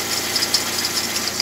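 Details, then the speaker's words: Alternator belt squeal at idle: short high-pitched chirps every fraction of a second from the flat alternator belt; squeal stopped after spraying WD-40 onto the belt. "Так, ну вот имеем такой неприятный звук от ремня генератора."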